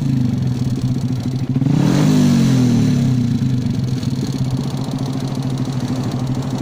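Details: Motorcycle engine blipped once, then settling to idle: a dry metallic rattle on every firing beat from the top end; piston slap suspected, not confirmed.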